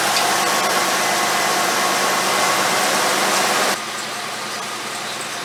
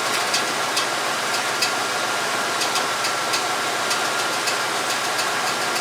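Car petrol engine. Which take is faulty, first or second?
first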